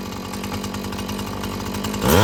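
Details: Husqvarna 445 chainsaw after cleaning and tune-up: a steady, crisp two-stroke buzz snaps cleanly to high revs near the end with no bog; it runs healthy, though the carburetor may need more adjusting as its diaphragm loosens.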